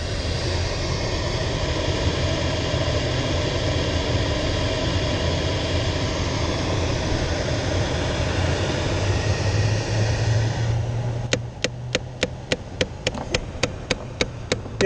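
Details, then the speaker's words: 2008 Chevy Impala, noise from behind the dash: over a steady low cabin hum, sharp regular clicking about three per second, felt by hand, intermittent; faulty AC blend door actuator. "now you can hear the noise I was talking about which is right back in here and I can feel it"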